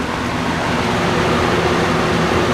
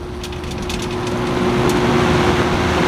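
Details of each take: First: Vintage 20-inch Robeson box fan, model 2306, 3-speed, lying on its side, running on medium: smooth, steady whoosh of air with no knocks, rattles or wavering; running normally. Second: Vintage 20-inch Robeson box fan, model 2306, 3-speed, running on high while lying on its side: steady rushing air, low hum and faint uneven rattle as it shakes a bit; owner suspects the shaking is from lying on its side.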